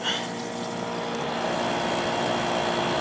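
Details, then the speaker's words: GE (Fedders-made) 10,000 BTU air conditioner with a Rotorex compressor, just cleaned and reassembled: a steady airflow rush over an even compressor hum, heard from the side, with no knocking. The compressor runs normally. "Compressor sounds great. Getting some nice refrigerant sounds."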